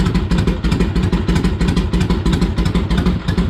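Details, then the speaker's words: Harley-Davidson Ironhead V-twin, cold, just started after pushrod adjustment; steady loping potato-potato idle, about three pulses a second, no valve clatter: normal idle. "took a few kicks, but she was cold. She sounds good."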